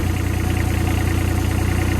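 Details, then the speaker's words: Develon excavator after new hydraulic pump and valve slice fitted: deep steady diesel idle with an even low beat, no grinding or knocking; sounds okay so far. "Sounding okay at the minute."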